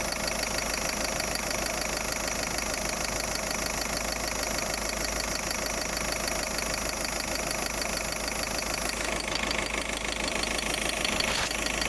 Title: Hissing noise....